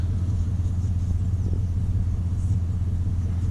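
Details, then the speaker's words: 2002 Chevy Silverado 1500, warm, before budget tune-up (fuel filter, plugs, wires), owner reported no power from a stop: deep, slow, even rumble sitting lower than it should; low idle speed, cause suspected, not confirmed. "I guess it's warm already, but the idle is kind of low already."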